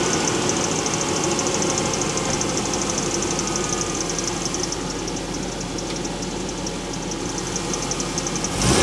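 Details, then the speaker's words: 1985 Toyota 4Runner with swapped 3RZ-FE engine, after a cylinder 2 misfire diagnosis and reinstalling the fuel injectors: steady, even idle with all cylinders firing cleanly; runs smooth apart from a faint squeaky pulley. "She's running mint other than a squeaky pulley."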